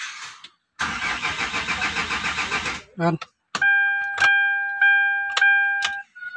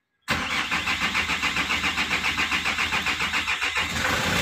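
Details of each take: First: Hyundai Grand Starex with glow plug and check engine lights flickering, scanner unable to communicate: starter churns about two seconds at a steady beat without catching; no-start attributed to a failed ECU. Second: Hyundai Grand Starex diesel that would not start, glow plug and check engine lights blinking, after replacing a part: catches right away, even idle about three and a half beats a second; normal start and idle.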